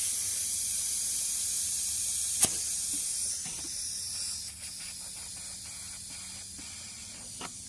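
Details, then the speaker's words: 1992 Plymouth Laser RS Turbo, rebuilt: steady high air hiss under a roughly 10–20 psi pressure test, a boost leak at an intake coupler clamp with a visible bulge; owner hopes fixing it cures idle surge. "boost leak identified or vacuum leak well in this case boostly so as i pressurize you this start to hear a hissing noise over this away"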